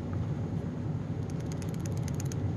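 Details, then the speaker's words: Kirby G-series vacuum transmission, spun by hand by the microphone, not greased: dry, clacky gear rattle, though it spins very freely. "hear that rattle and this is kind of just clacky as you know it spins hopefully you could hear that"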